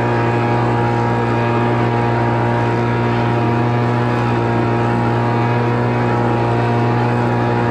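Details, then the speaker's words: Homelite Mighty Lite 26BP two-stroke backpack blower after carburetor replacement and adjustment, already warmed up: steady even drone at constant pitch, no surging or stumbling; running normally. "all right so I'm gonna crank this thing up I got it set to run because I already been running it"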